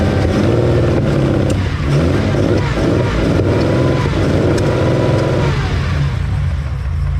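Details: 1972 Ferrari 365GTC/4, running again after a carburetor fault, warming up: full, even engine note with a few clean throttle blips, no misses or knocks. Small accelerator pump leak, thought to need new O-rings.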